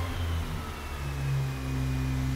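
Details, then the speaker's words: Mazda RX-8 rotary engine freshly rebuilt at a rotary shop, first start, with assembly lube smoke: smooth buzz that climbs cleanly in pitch and settles with no misses or knocks; revs freely and healthily. "god how smooth is that sounds that is so smooth"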